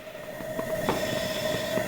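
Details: Coleman naphtha camp stove after warm-up, lever turned down, flame burning blue: steady even roar with a faint constant whistle, no sputter or surging; normal clean burner operation.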